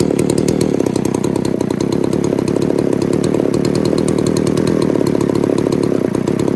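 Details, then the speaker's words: Poulan 3800 chainsaw, with spit-back through the carb on acceleration: steady, buzzy, rich idle that loads up while sitting. Owner suspects a remaining air leak; not confirmed. "it sounds like she's just loading up just sitting there idling"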